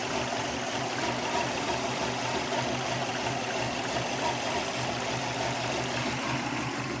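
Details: 2002 Subaru WRX petrol idle, uneven loping beat with hissy top end, -10 vacuum reading, no codes stored; owner suspects vacuum leak or missing O2 sensor, cause unconfirmed; rough idle.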